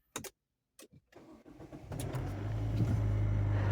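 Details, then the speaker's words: 2023 Duster, direct injection, 44,000 km: starter cranks, engine catches and settles into a busy mechanical drone at idle, A/C off; noisy worn high-pressure fuel pump. "Carro com injeção direta está acontecendo isso, a bomba de alta fazendo barulho."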